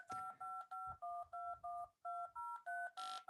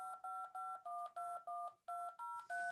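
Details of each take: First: DTMF dial tones from a wavetable generator at amplitude 64: about nine two-note beeps, some turning harsh, hissy and buzzing as the waveform overflows. Dropping to 63 keeps sums within 0–127 and the tones clean. DTMF buzzing from amplitude overflow. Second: Wavetable DTMF tone generator after wavetable range reduced from 64 to 63 to stop buzzing: short, even dial-tone beeps with steady pitch, no buzz or crackle; clean output.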